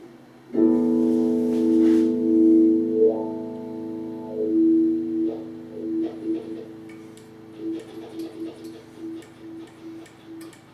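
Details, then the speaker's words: Wah pedal before cleaning, played with guitar: irregular crackly scratches as the pedal rocks, from a dirty potentiometer to be cleaned with contact cleaner. "So you can definitely hear the scratchy pot there. We got to get some contact cleaner in there to clean it out."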